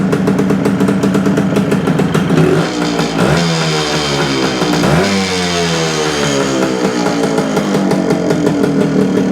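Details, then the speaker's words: 1972 Suzuki TS250 two-stroke with a fuel delivery problem, after fitting a 170 jet for altitude: revs up and drops back cleanly, picking up quickly with the throttle, no stumbling. More responsive, normal running. "now that sounds more responsive"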